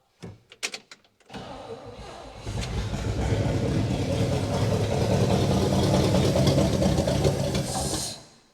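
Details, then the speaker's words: 1960 Pontiac Catalina 389 V8 sat since 1985, carb bowl filled and primed with accelerator-pump squirts: clicks cranking, catches and runs rough about five seconds then dies; won't run on its stock fuel system, boat tank planned. "all right so obviously it's not going to run it's not going to run on its stock fuel system and I don't really want it to"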